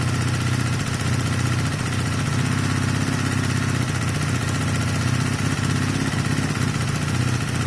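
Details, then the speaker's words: Honda CB250 Nighthawk cafe racer single after engine rebuild with piston, cylinder and valve stem oil seal change, no longer smoking, carb jetting still to change for air filter: steady, even low thrum with no knocks or misses; normal idle. "I'm going to give it a couple more minutes, give it a good rev. That's better or fixed, I think, at this stage."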